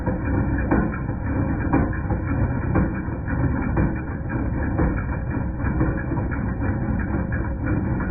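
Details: 2010 Jeep Patriot Sport 2.0 at steady idle: metallic clank about once a second; persisted after new power steering pump, pulleys, tensioner and belt; replacing alternator cured it.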